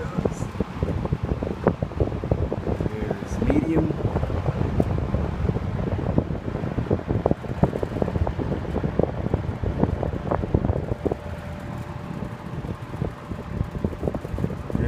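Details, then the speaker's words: 1970s TG&Y Golden T (Champion) box fan on medium then low speed: wind buffeting with a thin steady whine rising from the motor, most audible on low; motor whine. "you can hear that motor whine on medium. And here's low. Yeah, you can really hear it on low."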